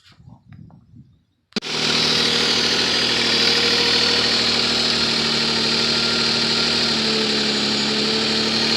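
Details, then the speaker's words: Nissan Maxima 3.5 before a Motor Medic flush and synthetic oil change, with lifter noise that is worst at startup and quiets after 20–30 minutes: after catching, a loud, even tick about four times a second over the idle. Lifter tick, front or rear bank unclear. "I'll start it up there good thirty seconds or so let you guys hear then lift your noise it's pretty loud I can't really tell if it's coming from the front of the back so we'll see what happens"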